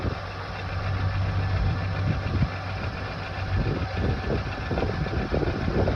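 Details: Renault Dokker engine after overhaul at 42,000 km: catches and settles into a steady, even low rumble at idle with no knocks or misses; sounds healthy.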